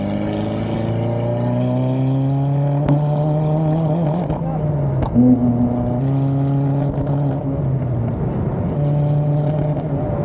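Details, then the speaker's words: 2024 Subaru WRX VB, about 5,000 miles, tuned, fitted with aftermarket parts, on track at Sonoma Raceway: turbo petrol engine stumbles and stalls in pitch under throttle instead of climbing freely, misfiring under load. "As you guys can see in the video, we were having misfire problems."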